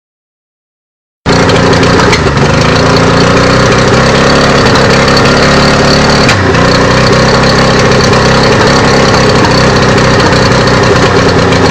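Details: Suzuki DT 65hp two-stroke outboard idling unevenly, buzzy note sagging and stumbling every few seconds, no steady idle; puffs smoke with a short chirp each time; water impeller and spark plugs just changed, problem persists.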